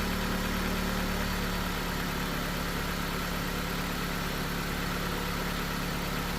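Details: 2008 Jeep Patriot after repairing corroded relay wiring (two relay circuits plus another wire, heat-shrinked): first start after fix settles into a steady even idle with no misses, knocks or stumbles; normal idle.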